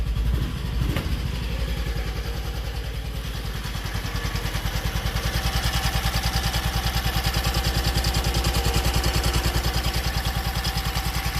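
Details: Slow, even thump of a single-cylinder engine idling at about 200 beats a minute with no choke, right after the carburetor float was soldered to the needle pin; fuel level full, no overflow, healthy idle.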